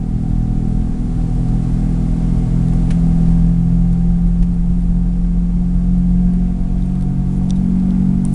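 Steady low drone with a faint tone above it that holds level at cruising speed, a hum possibly from a wheel bearing.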